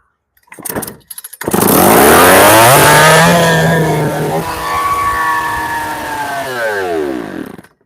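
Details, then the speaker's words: Unbadged big chainsaw of about 80cc with integrated decompressor and the same muffler as an 800: fires and jumps straight to a screaming, wavering over-rev without settling to idle, blowing the muffler front off; something had come away from the decomp, and marks were found on the piston. "it just blew the muffler apart uh and I don't know why it reved up like that bzy straight away sick"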